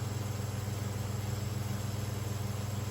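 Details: Oiled 1970s/80s Limit Ariel 12-inch oscillating desk fan, round-grille model, on high at about 84 W and around 1,416 ft/min; rhythmic drone of about 3.5 beats a second over the hum from loose winding insulation catching the rotor.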